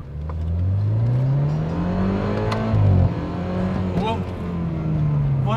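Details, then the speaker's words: 2012 BMW F30 328i with N20 turbo engine at about 10,000 km, after a turbo rebuild, new oil seals, engine and gearbox mounts and a service with 5W40 oil: the engine note climbs smoothly under acceleration with turbo whistle, clean and healthy. "okay now this is a proper car and i can hear the whistle of the turbo now can you hear the turbo yeah"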